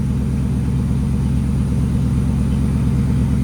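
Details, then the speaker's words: V8 just re-timed after the distributor was found wrong, warming up on fast idle at about 1100 rpm, with about 800 expected: deep, even rumble with no sputter or miss; running clean. "What should the RPM be at? About 800? About 8. It's on the fast idle though. It's at 11 right now."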